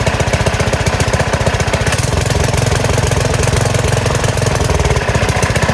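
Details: Small single-cylinder gas engine on a go-kart converted from electric, with a new carburetor, first start in a while on choke at idle throttle: quick, even firing with a steady beat, no misses or knocks. It is running normally.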